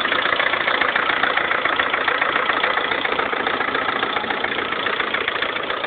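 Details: 2011 Lada Kalina 1.4 16-valve, 20,000 km, suddenly began knocking overnight: even, sharp tapping three to four times a second over steady idle. Dealer fitted a different-size-group piston/rod set, which cured it. Piston knock.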